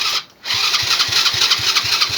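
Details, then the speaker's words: Old ATV pulled from a barn, fuel filter leaking and little fuel reaching the engine: quick cranking chatter with irregular BB-gun-like pops as it briefly catches and dies; it sputters, later smokes and smells burnt. "Oh, she's gonna run, dude. That sounds like a BB gun."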